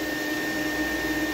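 Steady motor whine with a strained, wavering high note as airflow chokes; dirt-loaded filter starving the vacuum's intake.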